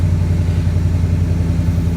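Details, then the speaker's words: 2012 first-gen Ford Raptor 6.2 V8, about 247,000 miles, started after sitting a long time: deep, steady V8 burble, even firing beat, no knocks or ticks; normal running. "the truck smells good it runs great and like I said I've put some miles on this thing"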